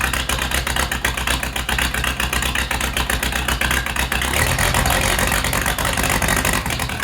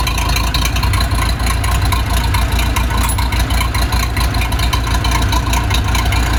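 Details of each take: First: Case 207D dozer diesel at first start after an engine rebuild, no coolant in yet, not fully reassembled: loud clattery idle, about four beats a second, slightly uneven; owner thinks fueling is a little off and needs tuning. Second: Case 207D (450) dozer diesel after a year-long engine rebuild, reinstalled and reassembled, fitted with a muffler so much quieter: steady, even chug around 2.5 beats per second, low muffled tone, no knocking; healthy idle.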